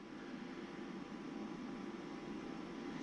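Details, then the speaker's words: APC 1250VA UPS running normally after battery replacement with 12 V 18 Ah cells: soft steady fan hiss, yellow light on, no alarm beeping anymore, self-test passed. "Yellow light just came on. It's not bleeping anymore."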